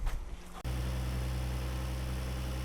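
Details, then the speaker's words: 1992 Nissan 300ZX Twin Turbo, just bought at auction, cooling system refilled with water after coolant loss and a leak check: steady, even low hum with no misses, knocks or hunting; a smooth, healthy idle. "thing idles really good."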